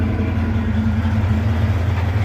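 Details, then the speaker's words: V8 idling on the ground after both exhaust pipes reinstalled following off-road damage: steady, even rumble with no puffing or ticking; no exhaust leaks. "Don't hear any exhaust leaks. All right, I'm happy with this."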